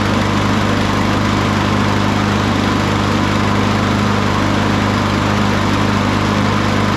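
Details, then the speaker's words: Craftsman M230 push mower after a tune-up and new blade: steady, smooth single-cylinder drone with no misses or knocks, firing up easily even while still wet; healthy running. "Even while it was wet, the thing fired up without issue. That's telling us that we're not gonna have issues going forward with it."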